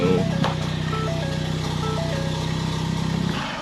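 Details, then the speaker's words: Ford Focus ST revived after sitting, just started with new Motorcraft plugs, original coils, no exhaust and some vacuum hoses unplugged: loud, uneven open-pipe idle with ragged beat; runs slightly rough, owner suspects unplugged hoses. "A few vacuum hoses are still unplugged and stuff like that, so it's probably running a little weird, but it runs."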